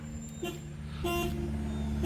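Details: 1969 Ford Mustang Mach 1 with a 390 and an automatic, checked in a pre-purchase inspection. Three short horn toots with a clear, steady tone over a quiet idle; the horn works properly.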